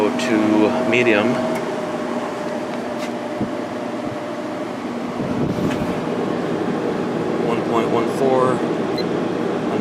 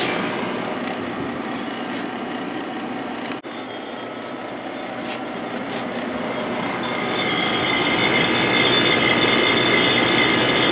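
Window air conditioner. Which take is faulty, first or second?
second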